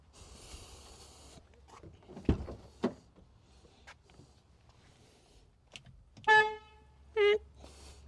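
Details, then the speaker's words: 2018 BMW F87 M2 LCI, N55 engine, original horn before replacement: two short honks, thin, reedy, high-pitched and weak like a clown horn, so the horn is failing. "So I'll show you before I do that what the horn currently sounds like. A little clown horn."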